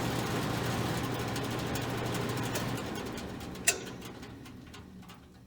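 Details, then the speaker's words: Modine BA130SBM garage furnace blower after belt adjustment and motor-to-pulley realignment: an even low hum with no squeak before winding down; squeak fixed. "lot quieter than it was so it was the belt and aligning the the motor more with the pulley on the blower got rid of the squeak"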